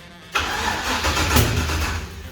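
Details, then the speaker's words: Toyota Toyoace truck first start after rewiring and fuel work, about 3 litres of fuel, no cooling fitted: catches at once, runs rough under two seconds, then dies; owner suspects the high return line drains fuel so the pump loses pressure. "Alright, so I need more fuel, mainly because this is a return system and the return line comes up so high. I think it's draining the tank and then having no pressure from the back of the pump."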